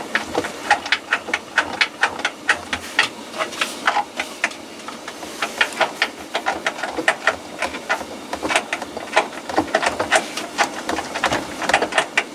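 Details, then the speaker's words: Hoover washing machine drum turned by hand: irregular light clattering taps, a loose rattle; bearings and spider suspected. "this is not too bad was expecting worse there's a bit of a rattle there can you hear that"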